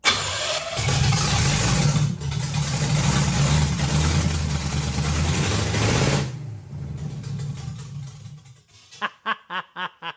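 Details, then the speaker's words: Hot-rod 327 Chevy V8 in a 1957 Chevy during a first-start run with no coolant and a poor carb: rough, surging running that won't hold speed, then cuts out with stumbling pulses. The throttle linkage is broken and the return spring unhooked. "yes I know what's wrong this throttle linkage is broke it's completely [ __ ] up"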